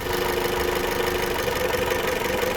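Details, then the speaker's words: 2015 Chrysler 200 with intermittent no-start, engine idling: unplugging an ignition coil makes the idle sag and turn lumpy, showing that coil fires fine. "You hear that noticeable change? So that's telling me that one's working fine."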